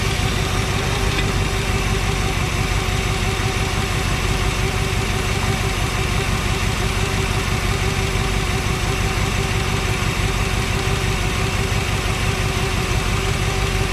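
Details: 1963 Chevrolet Impala SS V8, sitting 35+ years, after fixing a fuel-line leak with a proper crush washer: steady, even idle with a smooth low rumble and no misses or stumbles; engine running healthy.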